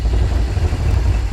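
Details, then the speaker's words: 1984 Yamaha YTM200 single-cylinder, long-stored non-runner, after cleaning plugged carburetor, new fuel lines and fresh fuel: starts and runs with a steady low thumping, even pulses, no misses or knocks; normal running. "let's see if it'll start and there we go we just had a plugged up carburetor"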